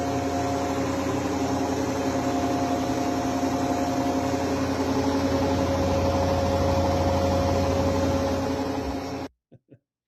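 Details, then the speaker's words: Brand-new Electrolux front-load washer on spin: a loud, steady roaring hum like a jet engine from the high spin rpm, with no knocks or scraping; normal spin noise for this machine. "the sound I assume that they're concerned with is the high RPMs of the sound. It's like a jet engine, right? So this is normal."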